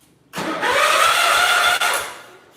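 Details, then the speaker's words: 1971 140H3 tractor after tightening the starter mounting, which previously hung up: smooth starter whir picks up pitch and runs evenly over a second without hanging; normal cranking. "That sounds a lot better. Cool. Definitely cranks a lot better. It doesn't hang up like it did."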